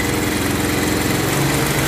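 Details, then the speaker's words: Bajaj Pulsar 180 motorcycle that had died, worn-out oil: engine idles with a rough metallic clatter over the exhaust from a loose connecting rod knocking, plus noisy camshaft. "oh motor ramlila nyala tapi suaranya nih suaranya parah banget karena memang kondisi Setang Seher nya kemarin oblak"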